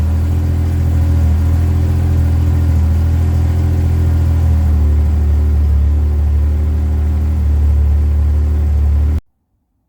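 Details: Yamaha RMAX idling on a new Acoucou YTX9 sodium-ion battery, showing about 14 to 14.5 volts: loud, steady low-pitched idle with no misses or knocks, held evenly until switched off; normal healthy idle.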